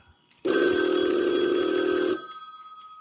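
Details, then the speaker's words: 1965 Northern Electric TeleTrainer for Bell Canada, two-line phone simulator with original 2N696 transistors, handset hung up and line rung: loud even bell ring almost two seconds then clean fading ring-down; ringer works normally. "And if I hang up the telephone like that and I go over here and I ring. Yeah. And there we go. The bell is ringing."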